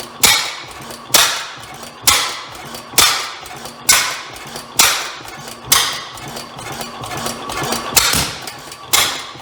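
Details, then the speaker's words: Rare old Bovard & Company engine, assembled from two engines, first start attempt: sharp, slightly uneven bangs about once a second, each dying fast; it runs, but a possible exhaust backfire, or hard to adjust. "well we have ignition um may have a little bit of an exhaust issue there did that backfire of course it could also be uh it's hard to adjust a little bit"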